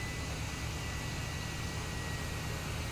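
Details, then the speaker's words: Turbo on a homemade turbo burn barrel fails after about five seconds of running: steady rough rushing roar with thin high ring over low rumble, turbo grinding, shaft failure. "no way go guys it blew a turbo it blew off a turbo no ah no we barely got any run time with it oh you hear that turbo just just grinding in there it was running it was running for five seconds ah [Music] that turbo sounds bad"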